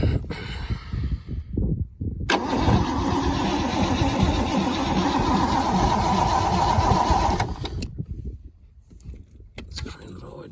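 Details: Holden FC Grey Motor, first start attempt in 50 years, hot-wired coil with sparks, fuel plumbed but possibly not picking up: about five seconds of steady starter churning at roughly three turns a second with no firing; cranks but won't start.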